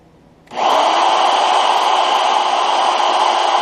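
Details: Drilling: steady even cutting hiss with no chatter or stutter from start to finish; bit cutting smoothly and cleanly, normal drilling.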